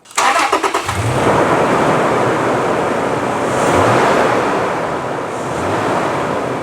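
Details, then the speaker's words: Engine after belt refitted during belt-drive noise diagnosis: catches cleanly and settles to smooth, even idle with no chirp, squeal or rattle; normal quiet idle, repair completed. "that's nice and quiet i think that's one job completed and the owner will be very happy"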